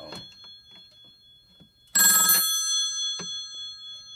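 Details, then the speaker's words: Phone with a real mechanical bell ringer on a Panasonic TA824 hybrid PBX, called from another extension: a sudden loud, bright, clanging metallic ring of about half a second; bell working properly. "really so if you've never heard one of these ring before you might be in for a surprise"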